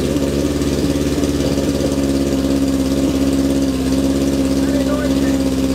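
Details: 1978 Kawasaki KZ650 C four-cylinder, first start after at least 5 years unrun, on a temporary fuel supply with vacuum pipe blocked: steady, even warm-up idle with loud, throaty exhaust, no knocks or misses; runs fine, just a very noisy exhaust.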